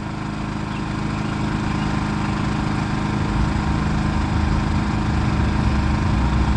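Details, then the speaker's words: Champion 3400-watt dual fuel generator for full-time RV living, switched from full throttle into economy mode: a steady, low, even drone at reduced speed with no surging, over truck and traffic rumble. Normal idle. "So let me turn the economy mode on to make it run a little quieter."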